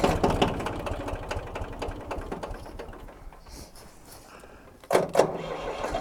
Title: Tractor won't start